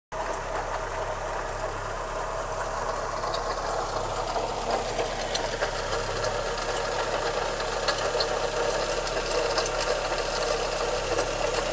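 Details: VW Golf 1 Cabrio, 1988, engine code JH: steady idle with loose, irregular light knocking mixed into the hum. Unidentified mechanical engine noise, cause not confirmed.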